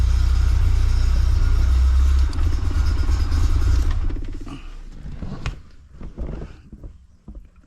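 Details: 1984 Bertone X1/9 after a no-start traced to the windshield wiper fuse, which also feeds the fuel pump: deep steady rumble of the engine running evenly for a few seconds, then fading; normal run.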